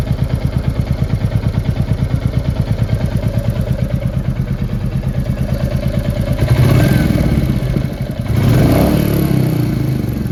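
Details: Royal Enfield Classic 350 Reborn single at idle: a quick, even ticking rides over the thump and stays with it as revs lift; tappet noise.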